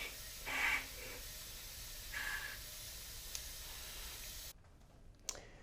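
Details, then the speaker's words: Mazdaspeed 3 cylinder head with a P0300 misfire code. Air is fed into the cylinder and a faint hiss is heard escaping through the intake in short bursts, felt and heard at the intake; air leaking past the intake valve. "We'll go ahead and put some air back down in the cylinder, and we'll see if we can't see, like, right there in front of us where it's leaking out. You can really hear it. And you can feel it leaking right there, actually."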